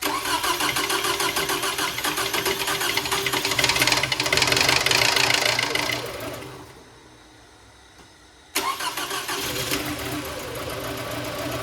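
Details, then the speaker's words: Toyota 2.4L engine, first start after a head gasket replacement: it cranks and catches, runs a bit rough with light chatter while the timing chain tensioner builds oil pressure, then settles into a steady idle; normal. "Just so you know, when it first starts up, it does sound a little rough. That's just that timing chain trying"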